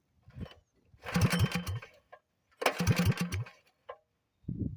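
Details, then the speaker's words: Predator 212 single-cylinder mini bike engine with JB Weld epoxy-ported, carburetor just cleaned of water, test run: catches and revs in two short crisp bursts falling away cleanly; jetting seems fine, normal running. "Okay, I got it running good. Did a little test to make sure it's running right."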